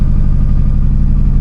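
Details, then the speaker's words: Car losing power miles into a drive after hitting a flock of magpies: deep, lumpy idle with uneven beats and dropped pulses, running like three cylinders; misfire from about 3.5, later part of a piston crown looked to be missing. "Guys, we've lost power. We've lost power and now it sounds like super impressor. I don't know what its problem is."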